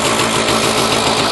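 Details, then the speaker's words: Puch MS 50 moped, 39,375 km, two-stroke, just started: steady fast buzzing idle with even beat, perhaps idling slightly high. "Så lyder den. Går måske en lille smule højt i tomgang."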